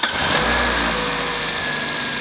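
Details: Car just after a broken motor mount was replaced, fixing a clunk at start-up and in hard corners: short crank, then the engine catches and settles into a smooth even idle with no clunk or jolt; normal start after repair.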